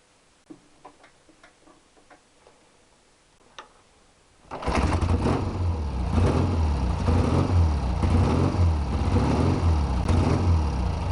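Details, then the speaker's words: Triumph T120R twin after bottom-end rebuild, engine still warm, worn carburettors with air screws set about 1.5 turns as a starting position: kickstart taps, then lumpy, wavering idle that never settles to an even tick-over, blamed on worn carbs. "Right, now my carbs are well worn, and well, basically I'll never get a good tick over on it."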